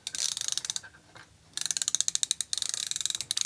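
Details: Ratcheting screwdriver on a backdrag testing machine, compared with a DeWalt reading about 50: crisp, fast, even bursts of light ticks, no grinding or skipping; healthy low-drag pawl.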